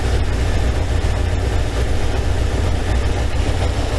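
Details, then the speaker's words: 1987 Kawasaki GPZ600R (ZX600A) after rebuild, idle set about 2000 rpm during carb sync with gauges: steady fast idle with slightly uneven, lumpy beat, cylinder 3 strong and 4 weak; carburettors out of sync, adjusted via screw. "see my cylinder 3 is running a bit strong four is a bit weak so I want to adjust these by turning the adjustment screw towards cylinder four"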